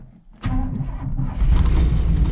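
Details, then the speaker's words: 1983 Chevy C10 small block, cammed, carburetor with no choke, cold start: starter churns low uneven beat while fuel pressure gauge slowly rises, engine stumbling toward catching; extended cranking to pump fuel up. "you're gonna get a crack good enough to get the engine to turn over enough to pump some fuel up"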